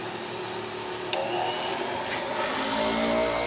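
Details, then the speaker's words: Harbor Freight 8 in bench grinder after fix, wheels rebalanced and spark guard removed; smooth even motor hum spinning up steadily with no wobble or knocking: normal running. "For right now, I got it running and balanced."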